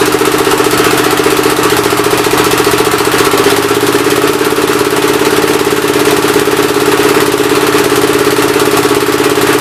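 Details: Old engine's first start attempt on a temporary coil ignition with fuel fed in: it thumps roughly twice a second with a sharp puff from the intake side on each beat. The intake valve seems to be leaking but is not hanging open; the owner plans to pull the head and lap the valves.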